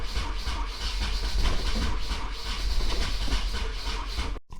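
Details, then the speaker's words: 1994 Nissan 240SX convertible, first start attempt after an oil change, throttle cable initially unhooked: cranks and coughs in ragged bursts without catching; the owner believes the firing order was wired wrong. "So it sounded kind of like to me that the firing order was off, so I just went back and looked up more things, because I don't know anything about 240s, bro."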